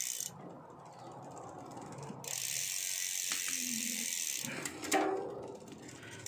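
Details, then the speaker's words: Bicycle (Giant Fathom) after fitting a new 12-speed chain: quiet freewheel ticking with a sharp single click as the chain drops onto the next cog; shifting is quick, clean and quiet. "So sa shifting okay na din. Bilis na niya mag-shift. Ayan. Shift agad."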